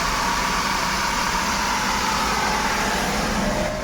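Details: Maruti Suzuki WagonR after repair: steady even idle with no stumbles or jerks; the earlier misfire, stalling and check light were caused by a manifold pressure sensor wiring fault, now fixed.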